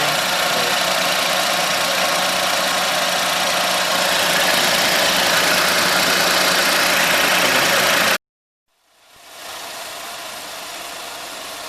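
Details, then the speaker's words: 2006 Suzuki Wagon R at idle: steady even whirring rush, unchanged with A/C on, drive belt later removed to check pulleys; intermittent whine traced to the water pump, pump replaced. "ウォーターポンプからちょっと音が出てるんでね、それがやっぱ交換だと思いますね。"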